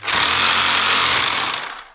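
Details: DeWalt D25003K type 2 hammer drill after new cord, piston O-ring and spring clip: fast even hammering rattle with steady buzz winding down cleanly; hammer striking normally, though it later failed after about 30 seconds.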